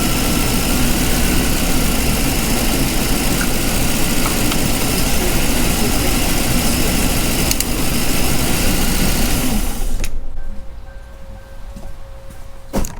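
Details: 2006 Lincoln Town Car Signature, Ford 4.6L V8, first start after intake manifold replacement: steady, even low rumble with no misses, knocks or ticks, holding smooth until shut off; healthy idle.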